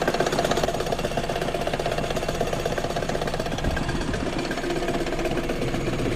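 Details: Car engine idling with a noisy engine bay and AC no longer blowing cold: a fast, loose metallic rattle and ticking over the idle, caused by a loose, failed AC compressor pulley bearing; the compressor is removed for repair.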